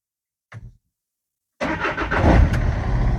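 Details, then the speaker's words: VW Transporter T6 van after a cheap starter motor repair and reconnecting the cable: a short crank, a pause, then the engine catches promptly and settles into a smooth, even run; normal start. "Lovely. Lovely. That is just lovely. That is just lovely. Glance starts and drives."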